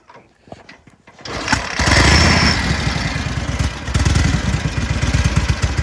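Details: Sokół 1000 motorcycle after a full rebuild, slightly pre-warmed, 12V generator newly matched to the engine. After a few dead cranks it catches and settles into a steady, even idle of about 3.5 beats a second with no howl or grind; normal running.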